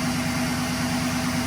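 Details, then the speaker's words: 2011 GMC Sierra V8, about 180–190,000 km, idling right after new NGK spark plugs and wires: slightly uneven low pulse under steady drone, still sounds the same; rough idle persists, owner suspects fuel system. "Now it still sounds the same. So it must be something with the fuel system."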